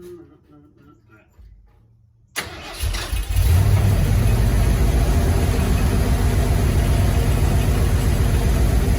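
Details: Truck project with a newly installed fuel system and a replacement mechanical fuel pump (first new pump failed): short crank, then catches and settles into a steady, even low idle with no misses; normal start and idle.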